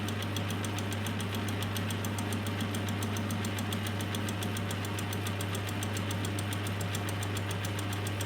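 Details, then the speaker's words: Lathe with a homemade milling jig taking a light 5-thou cut on steel angle. A steady motor hum with fast, light ticking, about 3.5 per second, as the cutter bites; cutting really nicely and cleanly. "is cutting really nicely, and I can actually see the second one as it's turning round."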